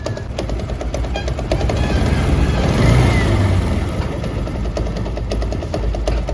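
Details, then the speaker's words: TVS Apache RTR 160 BS4 running before repair: rapid metallic clatter, quieter as revs rise and louder when the throttle is released. The bike also emits white smoke. The engine was opened and the cause found to be a loose gear shaft bolt. "अभी यह bike start है और आप engine की आवाज को जरा सुन लीजिए क्या चीज की आवाज आ रही है जैसे मैं रेस बढ़ाता हूं तो आवाज कम हो जाती है और रेस छोड़ते ही आवाज बढ़ जाती है"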